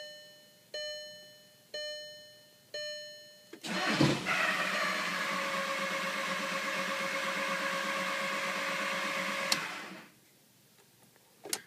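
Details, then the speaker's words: VW Jetta TDI diesel crank no start after draining water from the fuel filter; fuel reaches injectors, filter and injection pump, yet it cranks evenly after chimes and never fires, owner stumped. "starts like it wants to crank for like a half a second and then just spins over like nothing's going on"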